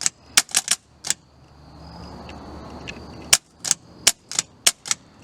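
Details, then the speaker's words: VW dune buggy engine with rebuilt starter, cold weather: sharp irregular clicks in quick bursts with pauses, starter chattering instead of engaging; owner suspects not enough current, possibly bad grounds, unconfirmed. "I wonder if I just don't have enough electricities going through it."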